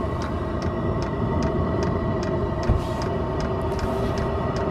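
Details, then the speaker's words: Diesel heater in a van in subfreezing Alaska starting after the old hose clamp was taken off a fuel line with some suction in it; steady ticking about twice a second over a low rumble, fuel pump priming, then it seems to light. Normal startup. "I think it just lit. Oh! You think we're in the... I wouldn't jinx it."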